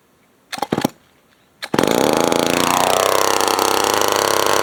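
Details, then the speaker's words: Old Remington SL9 chainsaw bought on eBay, missing its air filter cover, on its first start attempt: catches after two pulls and screams high with revs sagging unevenly; the carburetor may be getting too much air and may need adjustment. "Sort of carburetors definitely probably have an issue. Going to have an issue. Might be getting too much air right now."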